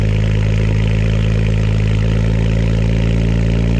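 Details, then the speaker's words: BMW cold start recorded at the rear exhaust through a 12-inch Cherry Bomb glasspack muffler: deep, steady exhaust drone with an even, unbroken pulse and no rattles or leaks; normal cold idle. "alright guys let's see what she sounds like cold start guys yeah I'm just gonna stitch out back here so y'all can just get the full-on cold start"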